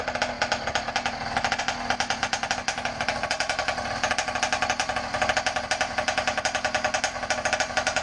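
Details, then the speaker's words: Motorized bicycle two-stroke engine warming up: rapid even popping beat with slight unsteady rasp, idle starting to settle down as it warms; normal. "sounds like she's starting to idle down a little bit warming up"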